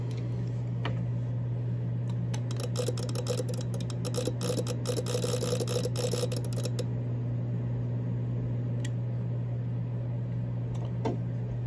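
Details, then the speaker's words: ATU-100 100-watt automatic antenna tuner powered on and tuning, used with a 7000 radio: steady mains hum with rapid irregular relay chatter that never settles, open SWR; factory-broken output solder joint leaves nothing on antenna side. "right there you can't really see it on camera but right there s of joint's broken so you've got nothing on the antenna side of this s"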